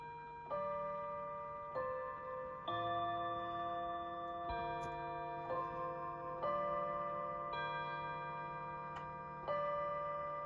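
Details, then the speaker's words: Seth Thomas Plymouth 1700 Series electric mantle chime clock after service, chiming at 7 p.m.: even chime notes about once a second, each decaying cleanly with no drag or stalling; chime mechanism healthy. "Of course, when you're upstairs in this house, you can't really hear the chimes that well."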